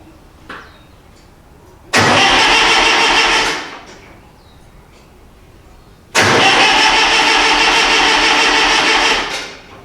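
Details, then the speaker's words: International 2510B loader tractor after starter repair, cold but warm enough to skip the block heater, fuel off: two crisp cranking bursts spin the engine evenly with no grinding, starter engaging the flywheel cleanly; normal starter cranking. "I'm gonna keep the uh the fuel off crank it over a couple of times just make sure the starter is engaging the five the flywheel properly"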